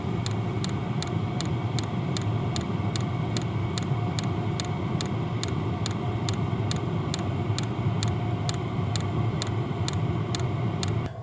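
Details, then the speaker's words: Hcalory diesel heater on setting one at startup, about 37°F in the tent: crisp, steady ticking about twice a second over a soft burner rush, slowing as it warms; the fuel pump is dosing normally. Normal fuel pump clicking. "okay as this is getting going you can hear that clicking is slowing down"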